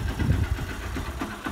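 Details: Honda Bros single-cylinder motorcycle after an engine rebuild (kit, cylinder, valves, gaskets, oil). A steady low putter at idle with even firing and no knocking or ticking; healthy idle.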